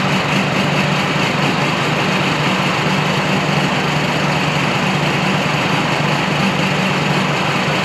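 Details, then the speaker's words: VW Touareg V10 TDI twin-turbo diesel, after engine reinstall, with tuned ECUs, cats deleted and full straight-pipe exhaust with custom straight downpipes: deep, steady rumble, even firing, loud open exhaust, no knocks or misses; normal healthy idle. "Again, we have a running V10 diesel Touareg, and I'm pretty excited about that."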